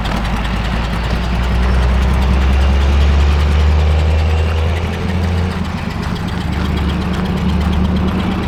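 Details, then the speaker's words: 1947 Chrysler Royal with Fluid Drive, driving after sitting, later into second gear: deep steady rumble about four pulses a second, swelling and easing with throttle; runs evenly without knocks, pretty good. "it's all right it's actually running pretty good"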